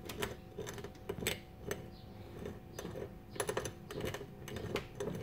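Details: 2006 Nissan Xterra 4WD drive shaft rocked by hand: irregular dry clicks and clunks as the worn universal joint binds and kinks; the bad u-joints caused driveline vibration.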